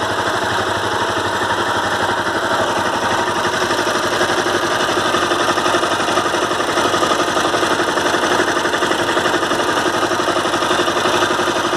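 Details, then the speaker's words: Honda CBR 250R single at idle: fast, fairly even ticking knock about three per second over the idle, present every time for the last month. Service center blames the crankshaft and says the full engine needs replacing; owner doubts this. Abnormal engine noise, cause unconfirmed. "Hi guys, I'm facing this problem in my severe terrific engine sound. So can you tell me what is the reason of this sound?"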